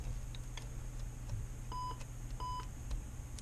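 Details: TST01 touch screen tester connected by USB to a PC with speakers: two clean short high beeps over a quiet room hum, one per touch; the touch screen is registering properly.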